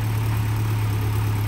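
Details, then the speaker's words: Land Rover Series 2¼ petrol engine after replacing valve stem seals and a valve overhaul, reassembled with a new thermostat: low, even tick-over with a steady hum and no knocks or misses. Idles smoothly and quietly. "so as you can hear ticking over nicely now nice and quiet"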